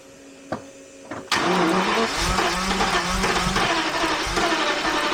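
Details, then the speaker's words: Jaguar XJRS V12 with good spark and a swapped fuel pressure regulator, run at full fuel pressure: a few clicks, then steady fast cranking at about four beats a second that never catches. Cranks but won't start; floods immediately, fuel pressure measured far too high. "It's definitely getting flooded right away."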